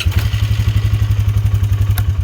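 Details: Polaris that wouldn't start, after cleaning carbon off the spark plug: quick, even low thumping around twelve pulses a second, no misses or stumbles; engine now firing and running steadily.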